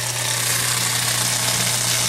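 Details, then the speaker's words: Kenmore Elite HE3t washer (model 11049962603, ~2009) with Sud and F21 error codes, draining into a bucket. Steady low drain-pump hum under rushing water, with no grinding or rattling; the pump runs fine. The actual fault was a plugged pressure switch air trap. "they can hear the little pump down there she's a running she's still a runnin you know but gushed out of there for a while I wouldn't say anything's blocked"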